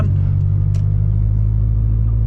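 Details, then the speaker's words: Subaru BRZ daily driver, in-cabin at steady cruise: deep, steady low boom filling the cabin with little on top; exhaust drone the owner tolerates on long trips but wants to quiet down. "I don't mind the Drone much I've driven this car from Mississippi to Florida to [ __ ] Oxford a few times to Starkville and it doesn't really bother me too"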